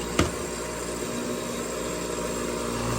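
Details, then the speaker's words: Fluoromizer 3500 refrigerant recovery compressor, drawing 4.5 A and vibrating strongly: one click at the start, then a steady low hum with an even vibration buzz, no grinding or knocking; normal running. Owner suspects the earlier no-start was caused by a 100-ft cord. "But thing's vibrating its little heart out. 4.5 amps."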